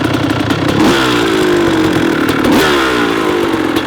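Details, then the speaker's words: 1994 Kawasaki KX250 two-stroke after a full rebuild, first start without choke, now in its first heat cycle kept under half throttle to warm up: a clean, even buzzing and crackling light idle with small blips; runs normally. "all right we're into the first heat cycle it's basically letting it run as it is right now small red just like that you don't want to go over half throttle just let the whole thing warm up together working well"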